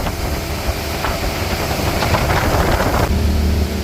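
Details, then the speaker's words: Volvo Penta engine in a Regal boat after leaking fuel injector fix, full throttle around 5,500 rpm (tach doubted) on water; strong even roar, no misfires or alarms, temperatures good; normal running. "there's no way we're at 5 500 rpms running smooth and steady well so far so good temperatures are good sounds good we got no misfires no alarms nothing going on"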